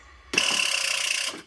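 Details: Van with 7.3 IDI diesel, messy rigged starter leads and battery lacking proper terminal ends: about a second of fast, even, sharp chattering clicks with no cranking, suspected poor battery connection; cause unconfirmed.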